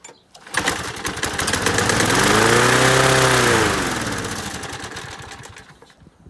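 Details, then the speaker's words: Masport 21-inch self-propelled mower, Briggs & Stratton Quantum 6hp, first start after new blades, fuel poured into intake: engine climbs to a loud high-pitched scream, holds flat out, slowly sags; owner suspects throttle stuck wide open on governor side, not carb. "It would appear our throttle's a bit stuck on the governor side of things. So it would appear that something's stopping the carburetor going back from the idle position, or back to it. It's just jammed on wide open throttle."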